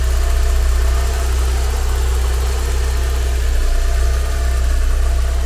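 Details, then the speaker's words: 1990 Porsche 944 S2 Cabriolet, 3.0L naturally aspirated four-cylinder, microphone moved around the engine bay and then to the injectors: smooth even idle, deep steady drone, only light injector ticking, no bearing whine. Normal idle. "No bearing wind of any kind, just a nice smooth running engine. As I said, the only ticking we can hear is from the injectors, and I'll put the microphone right there so you can hear it."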